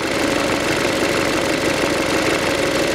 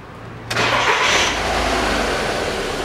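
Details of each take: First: 2007 VW Passat B6 2.0 with codes P1400, P3089, P1063, warming up: a steady mid-pitched droning hum over the engine, wavering as revs drop, suspected to come from a sticking EGR valve; the plastic drive gear may have a worn tooth. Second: 2007 Volkswagen Passat B6 2.0 after clearing fault codes P1400, P3089 and P1063: catches at once, quick clean rev, settles to an even idle with no hum. Throttle now much more responsive, no check-engine light, no new codes; normal start.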